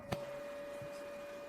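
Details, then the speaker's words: Xbox 360: after eject pressed, a click then thin steady internal hum as the tray motor runs but the tray stays stuck; disc not read or ejected, likely hardened grease on drive gears. "e non succede nulla. Si sente una sorta di ronzio interno; forse l'unità disco è danneggiata."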